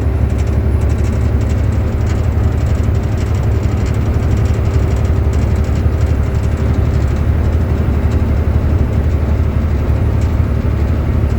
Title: 2006 volvo 780 AC system making noises please help!!!